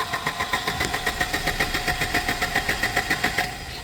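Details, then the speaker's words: Volvo 240 with K-Jet (CIS) injection, new fuel tank: starter churns evenly about three and a half turns a second but engine never fires; injector doesn't spray while cranking, owner suspects fuel starvation from old clogged K-Jet system, spark also questioned. "nothing so I don't think it's getting the fuel it needs to for some reason"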